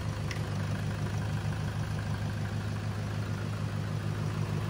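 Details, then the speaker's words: 2011 Toyota Hilux KUN26R, 3.0 1KD D4D diesel with modified exhaust, after alternator replacement: a steady low idle, an even beat of about three per second; the noise is gone and it keeps running with the battery negative removed. "the noise is gone noise gone is good yeah sounds like d4d now yeah it's quite quiet now that's normal noise already yep sounds good"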